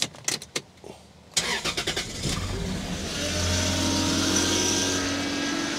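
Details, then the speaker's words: 1995 Lexus SC300, about 230k miles, that runs then dies, restarted after reinstalling the distributor rotor: cranks and catches into idle with a steady droning whine from a noisy power steering pump. "that noisy here is uh the power steering pump over here doesn't sound so hot"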